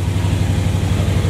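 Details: Box Chevy V8 at idle after fixing cylinders that were not burning fuel: deep, steady burble with an even beat and no misses; running smoother than ever.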